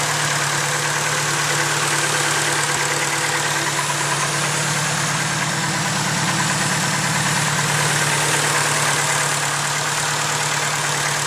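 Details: Rebuilt engine, fully built, developed this within a few months: a light, fairly even tick about three per second over the hum at steady idle; the owner suspects lifter tick, unconfirmed.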